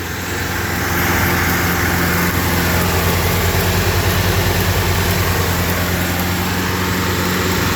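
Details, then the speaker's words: 1963 Alfa Romeo Giulia Spider that misfired and wouldn't start because its original Bosch coil ran hot and failed; after fitting a new coil it fired right up: steady, even idle with a smooth low drone, no misses; running healthy. "put the new coil on Boom fired right up"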